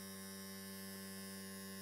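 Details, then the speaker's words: Restored 1950s Mallory vibrator, contacts just cleaned, converting 12V DC to about 200V pulsed AC with oscilloscope on output: steady even buzz around a hundred cycles, hard edge, no dropouts; vibrator running healthy after cleaning. "the first thing is you can you now know why it's called a vibrator you can hear that"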